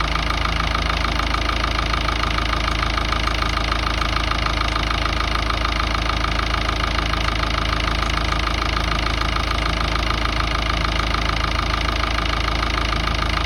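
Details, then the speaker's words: Ford Ranger 3.0 Power Stroke diesel idling: steady knock about four per second over the clatter, occurring at times only at full steering lock or while parking, then stopping; source unknown. "tenía ese golpeteo en el motor que no sabía de dónde venía y me lo hacía a veces, solamente cuando doblaba mucho la dirección o estacionaba, lo hacía regulando y después solamente lo dejaba de hacer."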